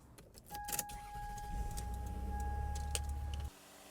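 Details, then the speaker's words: 1999 Toyota Sienna, started after replacing the valve cover gaskets, PCV valve and grommet, spark plugs and tube seals; short crank, then a prompt catch into a smooth, even idle. Normal engine start. "okay engine sounds good I'm going to check for legs just in case old oil burning"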